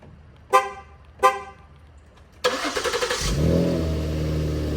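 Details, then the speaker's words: 2015 Ford Taurus SHO: two short horn chirps from the newly programmed key fob, then a quick crank and the engine catches at once into a steady idle with the new locksmith-cut key; everything works. "Starts up right away. This is the new key, you guys. Look at that. It works."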